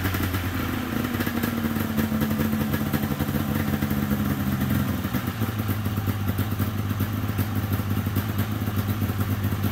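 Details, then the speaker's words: 1997 Polaris XCR 440 twin liquid-cooled two-stroke snowmobile, first start with premix down plug holes, weak spark: steady even burble with light rattle, no misses or surging; carbs may not need cleaning. Normal idle. "sweet I don't even know if I'll have to pull those carbs apart it's idling it sounds good"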